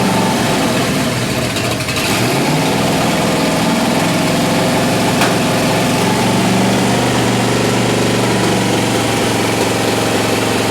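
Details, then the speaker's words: Rat rod engine on straight headers, first start after fitting plugs, wires and setting initial timing, needing almost full choke: loud, lumpy idle that hunts and won't smooth out; carburetor fault suspected, rebuild kit planned. "how about that it runs it runs it runs it runs it doesn't run smooth uh there's prob that carburetor is probably going to need to come apart"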